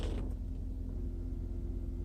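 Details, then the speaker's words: Mercedes S420, warmed up and idling with the AC set to 70°: a deep rumble with a steady whirring drone from the secondary air pump, which runs when HVAC is on and stops when HVAC is off. A vacuum leak is suspected, with fears of pump burnout. "there is a vacuum leak somewhere for the air pump I have to investigate that because it'll burn out"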